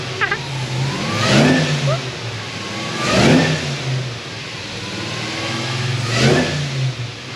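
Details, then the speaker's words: Supercharged LSA V8 drift car on E85, at shop with fuel pressure now established: three sharp throttle blips climbing and falling back cleanly without stutter or bog; revs freely and healthily. "He's actually able to rev it and actually hear itself go. It's got fuel pressure now."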